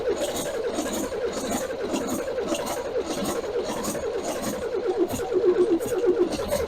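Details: Vehicle 3461 not started in at least two decades, fuel pump installed and fuel being bled up for the first time in years, foot on operating pedal: steady starter churn about 100 compression beats a minute, no firing; fuel not yet reaching the system.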